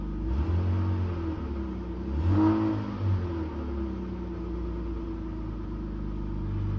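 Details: BMW E39 520i six with original ignition coils at 179k km: revving sounds uneven and lumpy, rising and falling unsteadily; misfire from failed coils.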